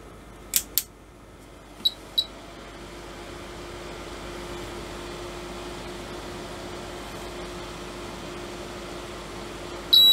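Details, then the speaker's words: Agilent E3633A linear bench power supply under repair: quick pairs of sharp high beeps over quiet fan hum when output is switched on; unit goes into error mode, reads -0.4 V, drops into constant current; DC supplies not yet checked. "and as soon as i go output output on it basically goes into error mode i'm getting minus 0.4 of a volt on the display but that could be calibration and it's going in a constant current mode wow it's not happy"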